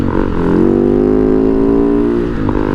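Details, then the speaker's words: 2010 Husaberg FE 570 on a test ride: steady single-cylinder drone climbing smoothly with road speed up to 75, no knocks or misses; engine sounds good despite clutch and brake issues. "motor sounds good we hit 75 no problem"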